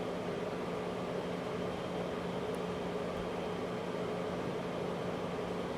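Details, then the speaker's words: 2003 Chrysler Crossfire 3.2 V6 with fault codes P0106, P0410, P0151, at idle after restart: steady, even electric hum with faint tone over idle, an air pump running and drawing air; likely secondary air pump, unconfirmed. "i see a pump going on it's drawing in here"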